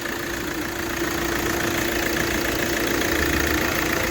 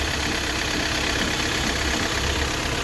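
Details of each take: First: Hyundai i20 petrol engine idling evenly with a steady hum, no knocking or misfire, after repairing broken wiring causing an injector open-circuit fault on one cylinder; faults cleared, no check engine light, normal idle. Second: Hyundai i20 petrol engine idling roughly with an uneven, lumpy beat, knock and vibration as one cylinder misfires; scan shows an injector circuit open fault on that cylinder.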